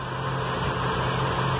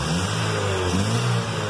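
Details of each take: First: Chevy with excess black smoke and hard cold starts, idling after the too-high fuel pump pressure was lowered with a 10 mm wrench: a smooth, even low idle hum with no misses or surges; the engine runs more stably. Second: Chevy with black smoke and hard cold starts, after lowering the too-high fuel pump pressure, before reconnecting a component: revs rise and fall in uneven surges about once a second, bogging as if it wants to die on acceleration.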